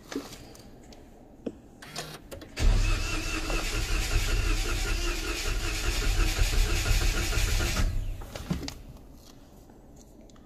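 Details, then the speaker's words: Strong battery, starter spins briskly about five seconds without firing, pauses, then cranks again until catching; hard start blamed on poor fuel vaporization in cold, damp weather; tip is to press the pedal down first, then start. "Mahirap mag-vaporize kapagka malamig ang panahon. Plus 'yung mga moisture no, lalo na kapagka nakaparada kayo sa labas. Yung mga moisture nag-aangatan yun, lalo nagpapahirap magpa-start."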